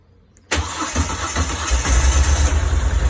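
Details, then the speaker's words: Moto Guzzi Breva 1100 with 34,000 miles, unridden three days, after a wiring mod to the battery positive that fixes a click-no-start issue: brief crank, then the twin catches cleanly into a steady lumpy idle with no clicking; normal start. "it's absolutely amazing solution easy cheap and and that should help yes"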